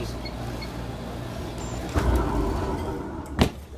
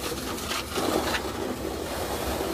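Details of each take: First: Alliance IPSO stack dryer after replacing worn drum rollers/bearings that were rubbing: low, even drum rumble with no squeal or grinding, a couple of handling knocks; heating and turning smoothly, healthy. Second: Alliance IPSO stack dryer, front panel off after new bearings fitted: low steady scraping rub as the drum turns; drum sits with almost no gap on one side, worn roller/bearing wheels let it sag and rub.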